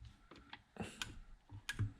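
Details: TVR Tuscan pedal box during refit, 20-year-old plastic parts, drained dry of fluid; a few quiet, crisp clicks as the pedal moves; the pedal micro switch is actuating normally.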